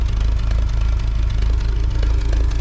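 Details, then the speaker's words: 1953 Willys CJ3B stored in a shed for years, first run after revival: steady, even low idle thump with no misses or knocks, not smoking; running healthy. "it runs it's alive it's alive"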